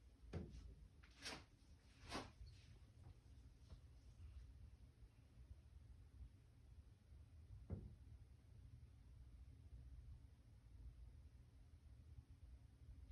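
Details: Top-floor corner unit of a 10-storey condo built 2020 in Montreal, Dec 15, 7am: scattered dull thumps, about four in 13 seconds at uneven gaps, in a quiet room. Unexplained banging from the ceiling at varying locations; no boilers or AC above.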